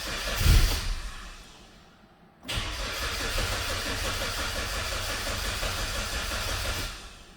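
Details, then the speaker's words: Towed-in 2009 Hyundai Sonata with the check engine light on and the fuel pump heard priming: steady, even cranking for about four seconds with no firing. It acts out of fuel although the gauge shows about a quarter tank; cause unconfirmed. "sounds like we're out of fuel the fuel gauge does show that it has fuel in it"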